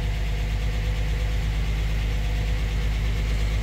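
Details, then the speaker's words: 1949 Armstrong Siddeley Lancaster, first start in a year, warming up with choke about three-quarters out, oil pressure good: smooth, steady low tick-over with even beat, no knocking; normal idle. "well she started she's ticking over she's running"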